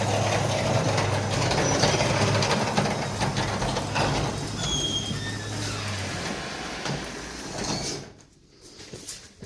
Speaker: and it sound like metal rubbing on metal? Most likely your rollers were out.